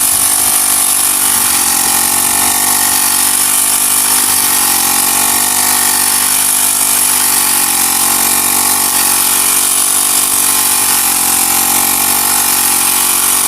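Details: Honda GX35 grass cutter after cleaning its dirty carburetor; spark plug, fuel filter and clutch were fine: small four-stroke buzzes high and even, picks up smoothly when revved, no stumble or surging. Normal running.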